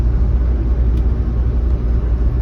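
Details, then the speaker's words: Old Ford F100 junkyard pickup with all-wheel drum brakes, idling during first drive after brake repair: low, even rumble with a steady beat, no knocks, misses or hunting; the V8 idles smoothly, normal. "oh man dude this thing's a cruiser man I mean Run's great we're [Music] idling this is a nice vehicle"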